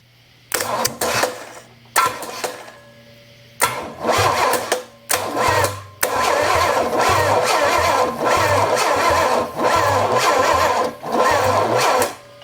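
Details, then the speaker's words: Engine with a Quadrajet carb fitted, plugs wet with fuel, and timing possibly 180° out: repeated quick, even cranking with no firing; a thumb test over the plug hole shows very low compression, and a stuck valve is suspected. "okay it ain't popping my thumb off there like it should okay I've got other problems uh either I've got a valve stuck or something else is going on"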